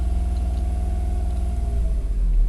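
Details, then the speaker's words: Daihatsu Ayla 1000cc with the idle-rpm-rising fault, on Fastron Techno 15W50 oil run 5,000 km: low, even rumble with a steady beat and no knocks or misses. Engine smooth, rpm back to normal. Normal idle. "5.000 km pakai oli 15W50 Fastron Techno 15W50, kekentalan banget tuh ya. Kental, tapi suara mesin halus. Nah, halus kan?"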